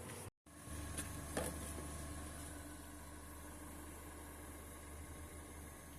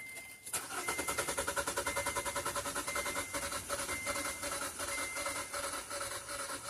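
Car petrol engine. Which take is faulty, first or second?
second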